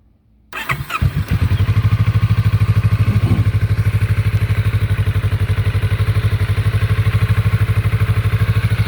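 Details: Kawasaki Vulcan S650 twin after repairing worn starter switch contacts that caused a no-start: brief cranking, then it catches and settles to a steady, even idle thump about three beats a second, no misses; normal start and idle.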